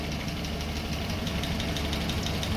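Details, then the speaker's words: Land Rover Series 3 with freshly rebuilt 2.25 petrol engine, first start, idling around 700-800 rpm: light, fast, even top-end ticking that quiets when a rocker is pressed; rocker clearances slightly wide, adjusted to 10 thou. "I'm going to hold this rag against one of the Rockers and you can hear it Go quiet [Music] you can hear the noise reduce when I force onto the rocket here"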